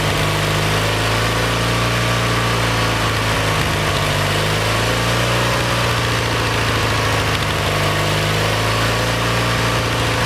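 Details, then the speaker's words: Kohler Magnum 20 engine, about 40 years old, at operating temperature after carburetor rebuild; mixture screw slowly turned in from about 1.5 turns out to find the sweet spot. Loud constant drone, steady low beat, no misses or surging. Owner suspects it needs a valve job. "i got this back out about one and a half now what i'm gonna do is slowly turn it in [Applause] want to find that sweet spot"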